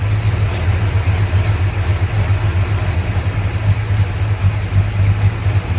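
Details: 1965 Chrysler 300 383 V8 after 17 years sitting in California desert, just revived: low lumpy idle with uneven loping beats and stumbles; smoke from leaked oil burning off, holed radiator; owner suspects timing slightly off.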